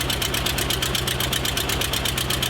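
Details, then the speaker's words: Porsche 914 2.0, just jump-started, before exhaust replacement: fast even pulsing idle with a harsh raspy blat, much louder than it should be; worn-out exhaust, new muffler to be fitted. "But as you can hear, it sounds like a potato launcher, or I don't even know. It sounds awful. So we're going to get the new exhaust put on this thing."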